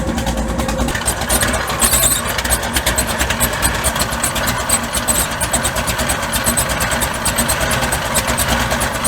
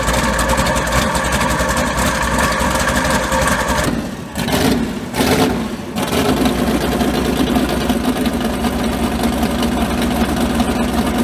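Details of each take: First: Mud bog truck just started after sitting since January. Loud, uneven idle with ragged, stumbling pulses; the spark plugs are fouled out and misfiring and need replacing. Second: Mud bog truck, not run since January, third attempt with a starter that had been grinding. A brief dip as it restarts, the starter engages cleanly with no grinding, then it catches and runs on evenly.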